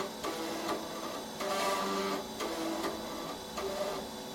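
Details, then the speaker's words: Compaq Proline 4/33 486 PC, unpowered over 10 years, booting a known-good DOS 5 floppy: repeated whirring buzzes and stepping chirps as the head keeps seeking; floppy drive struggling to read. "And hopefully, fingers crossed, if that floppy drive does work, which I'm not sure, that doesn't sound very happy."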